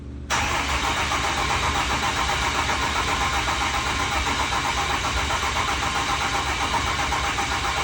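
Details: Diesel swap: 6.7L Cummins going into a tow rig, cranked over with the starter without firing to build oil pressure and get oil to the rockers; steady, even cranking rhythm, sounds normal.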